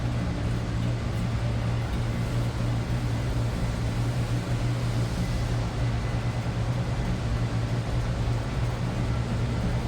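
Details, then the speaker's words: 1947 Lincoln Continental club coupe V12 at idle, heard from outside: soft, steady low hum with no knocks or misses over light outside noise; very quiet, smooth idle. "I don't know if you'll really be able to hear this. It's, like I said, very quiet."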